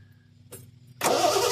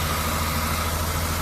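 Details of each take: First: 1974 Triumph TR6, Lucas ignition, sat about four years: starter spins evenly about three turns a second with no firing; no-start blamed on ignition points, coil connector also loose. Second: 1974 Triumph TR6, revived after about four years off the road: after hooking up the loosely connected coil, it idles steady and even with no misses; coolant is suspected to be low.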